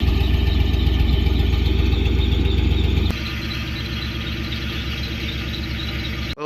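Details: Quick, regular chirping squeal from under the car, about four per second and tied to engine speed; owner says not belts, torque converter, bearing, flexplate or transmission, and suspects the starter. Not confirmed.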